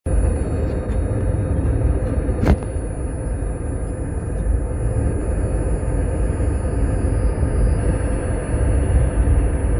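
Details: Nissan Leaf 30kWh while driving, phone recording under rear seat cover: single sharp pressurized pop over low road rumble, vibrating rear and front left of car, occurring at 80%, 43% and 26% battery; owner unsure of cause, pop from battery area.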